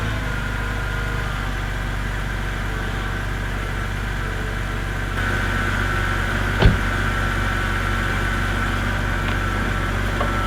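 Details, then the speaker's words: BMW E90 N52 six-cylinder, 269,000 miles, cold start about a week and 100 miles after engine flush, Molygen oil change and lifter additive: even idle with faint quick valve tick remaining; noisy hydraulic lifters improved, additive expected to help over 400-500 miles. "There is still a little bit of valve noise, but according to the bottle, that should quiet down."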